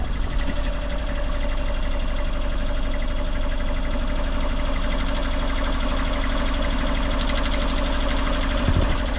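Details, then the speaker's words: Autozam AZ-1 at idle after clearing a clogged exhaust, pulling plug wires one at a time to find the weak cylinder. One cylinder does nothing, giving a lumpy idle with a missing beat; the distributor cap and wires were later found bad. "all right so I found the cylinder doesn't do anything first try but let me try the other ones"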